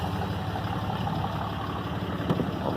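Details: 2012 RAM diesel idling after its failed VGT turbo (HE351) was rebuilt and reinstalled: low steady clatter with an even rhythm, no whistle or surging; a normal idle.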